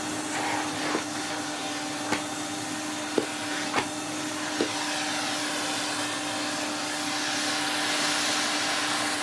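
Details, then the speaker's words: 1993 Henry HVR200 vacuum after full restoration (stripped, serviced, washed, reassembled): smooth even motor whine on one steady pitch with strong airy rush and light knocks from the head; healthy with full airflow and suction. "He is spotless, he has all the airflow he should have, he has excellent suction, his little smiley face is ready to go cleaning once more."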